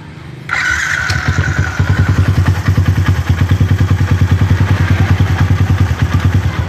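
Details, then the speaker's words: Yamaha Jupiter MX single-cylinder motorcycle after replacing the worn, loose camshaft (noken as) bearing that caused the growling: starts and settles into an even, steady beat with no rattle, running normally again. "Hai diganti lo kena atau dengan ventilator ini soalnya sudah normal kembali kita coba sekali lagi"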